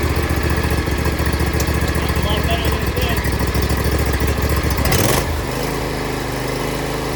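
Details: Husqvarna LGTH 24V54 lawn tractor engine running after its broken-off exhaust was welded back on. Steady low putter with even firing pulses; revs drop smoothly around five seconds and settle to a clean, even run. Normal running.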